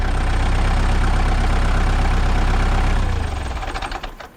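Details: Warmed-up 2002 Kubota MX5000 DT tractor, about 960 hours, after a new hydraulic filter cured a squealing pump and dead, jerking hydraulics: diesel runs steady and even with no pump squeal or whine, then winds down smoothly; hydraulics normal.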